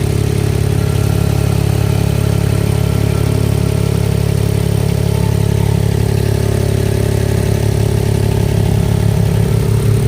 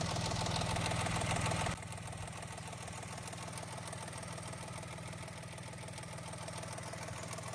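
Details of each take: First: Mahindra XUV 3XO MX1 idling with a light, even tractor-like tak-tak tapping about two to three times a second on top, before the fix; a loose heat shield plate rattling underneath. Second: Mahindra XUV 3XO MX1 after a service in which a small part was fitted to cure a tractor-like tak-tak engine noise; the owner advises checking the silencer for damage. After an initial louder burst it settles into an even, steady idle, sounding like new.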